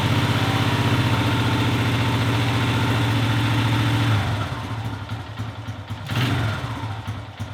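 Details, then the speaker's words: Honda XR100 carbureted single, started in warm garage before cleaning: steady thumping idle, then revs sag and bog each time throttle opens; owner says carburetor needs cleaning. Carburetor bog on throttle. "well as you guys saw there I actually got it to fire up this time probably cuz it's so warm in here but if you guys were listening you could tell every time that I gave it throttle that it would bog out so that's a definite sign that the carburetor needs a good cleaning"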